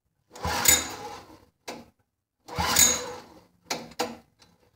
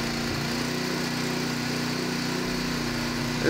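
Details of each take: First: Derelict Honda HS35 snowblower: after several pulls it catches on fuel added to the cylinder, runs raggedly and quits, not drawing fuel from the carburetor; fuel starvation from a blocked carburetor main jet. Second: Honda HS35 snowblower engine, previously abandoned and not running, started after turning the fuel valve on to fill the bowl: settles into a steady, even buzz with no misses or surging; running cleanly.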